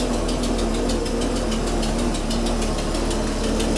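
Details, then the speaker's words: 1980s Jaguar original engine, last run before swap: lumpy stumbling idle with a sharp ticking knock about five times a second, misfiring badly; owner suspects an external head gasket leak, not exhaust. "that is not happy I think we actually have part of the head gasket blowing out on the side I don't think that's an exhaust leag"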